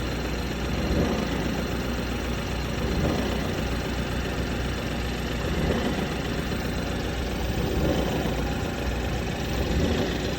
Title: BMW F30 330E Petrol Hybrid Noise at idle - Any ideas what it could be?